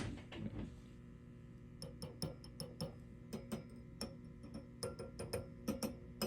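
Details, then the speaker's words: Marshall DSL100 tube amp with old power tubes, heard close to the speaker; irregular sharp crackles and pops over a steady low hum, showing the tubes are defective and need replacing. "try to listen you shouldn't hear any of that so these tubes are done"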